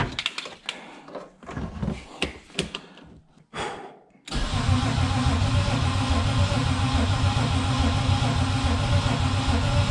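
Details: Turbo BMW E36 build, first start-up attempt: steady, even starter churn with good regular compression pulses but no firing; no fuel reaching engine because feed and return lines are reversed.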